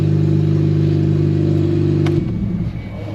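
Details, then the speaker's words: At idle after a new catalytic converter install: loud, raspy, steady exhaust pulsing, about four beats a second, too loud for a sealed system; exhaust leak from an open hole in the side of the cat, likely an unplugged O2 sensor port. "I'm like what is that noise everything's tight and flat there is a hole there it is that's why it's loud"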